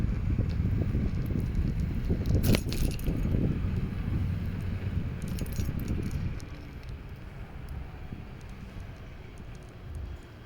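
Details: A Kukirin G3 Pro rear brake makes uneven metallic clinking and jangling over a low rolling rumble.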